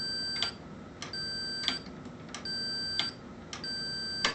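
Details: Amana Radarange RR-1000 microwave (2015 repair), door interlock switch tested on a continuity meter with the plunger pushed in; four short high beeps about a second apart, each with a faint click. The contact closes normally, and the switch worked fine once removed from the circuit.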